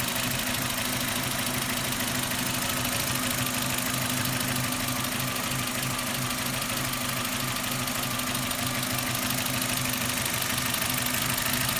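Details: Suzuki Ignis M13A petrol engine at steady idle with a loose knock repeating about three times a second; knock from inside the engine, cause unclear.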